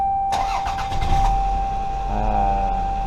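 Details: 1996–2000 Toyota RAV4 3S-FE engine after repairing an exhaust leak by welding: it cranks briefly, catches and settles into a smooth, steady idle with no exhaust ticking; the weld holds.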